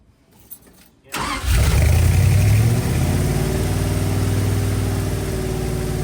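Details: 1965 Dodge A100 van revived after years sitting, fresh four-barrel intake, distributor and wires fitted after earlier backfire: cranks briefly, catches and settles into low, slightly uneven idle; runs a little off-tune, timing noted as a little off.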